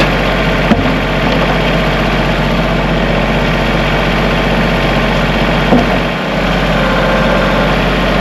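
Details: Kubota tractor diesel after battery connection work fixed clicking no-start: steady, even idle with no stumble or surging, left running so E93 code may clear; sounds healthy.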